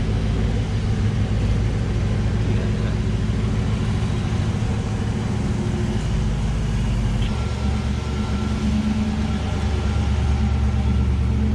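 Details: 1984 Camaro Z28 L69 HO V8, just after fitting a new exhaust with straight muffler, angle-cut tailpipes and ball flange: steady deep burble with a slight rise in revs, no ticks or exhaust-leak puffs; normal running.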